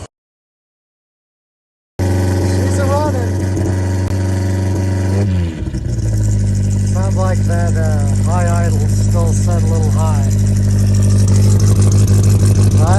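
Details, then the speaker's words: 1987 Toyota pickup 22R four-cylinder after vacuum-leak and carburetor gasket repairs and plug work, at operating temperature: steady, even idle at about three pulses a second with no misses, running on all four cylinders. It still smokes heavily, cause unknown. "all right well we got her running on all four cylinders again"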